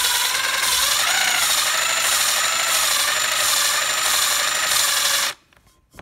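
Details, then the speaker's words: Hand lapping valves on 062 Vortec small block Chevy heads with fresh grinding compound; rhythmic gritty scraping rising and falling about three times a second as the valve is spun back and forth. Normal valve lapping. "when I first started with fresh compound you could hear the grit working you could hear the audible sound of it working really well and as you go it works finer and finer and finer"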